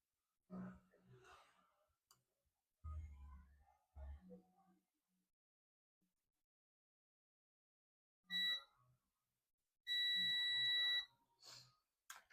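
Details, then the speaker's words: Dell Latitude E5250 logic board, no power and not charging: a quiet bench, then a steady high continuity beep as probes touch the second capacitor; it reads 0.0–0.6, shorted to ground. "The second capacitor is beeping. You can hear the sound. You can hear the sound. So this is the short capacitor."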